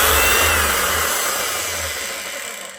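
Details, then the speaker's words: Hitachi H 60 MC hammer motor, sparking and down on power: runs rough with a harsh grinding hiss as it slows, heard grinding on something; the armature is almost completely burnt out, smoking and sparking. "You can hear it grinding on something. So, the armature is just about gone in completely burnt out."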